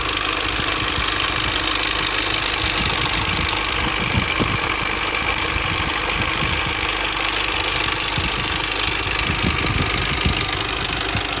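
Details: 2004 Mini Cooper S R53 facelift at 109k, idling: a loose, uneven metallic rattle over the supercharger whine from an established timing chain noise. The chain is suspected to have jumped and the front guide possibly to be broken.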